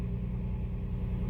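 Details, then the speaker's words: 2005 Toyota Tacoma, code P0301: low lumpy idle rumble with uneven beat, engine shaking visibly; misfire on cylinder 1, misfire counter climbing toward 99. "Y si pueden fijarse Miren el uno miren miren ahí está la falla ve el motor como está temblando"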